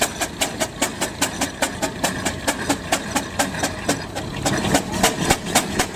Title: Traction Engine under Heavy Load nearly stalls on Hill Climb